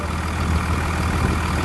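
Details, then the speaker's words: 1999 Cummins diesel, repaired with a new Thoroughbred Diesel injection pump, on a frigid winter day; steady, low idle clatter with an even beat and no misses, idling normally. "anyway there we go we got her all fixed up she's ready to go again"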